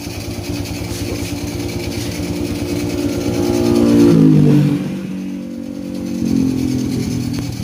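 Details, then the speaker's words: Honda Supra Fit New motorcycle after teardown and repair for heavy smoke and a rough, noisy engine: small single fires, idles evenly, revs up cleanly with light throttle and settles back without knocks or rattles; normal running. "Jadi setelah diprediksi untuk bunyi mesin ini sudah normal lagi. Nah, teman-teman bisa dengarkan suara mesinnya."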